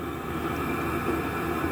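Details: Chinese diesel air heater run two winters on waste engine oil, hydraulic, vegetable oil etc., after clean-out: constant even roar with soft hum, no stutter or surging, burning steadily; slight smoke, likely residual in pipes.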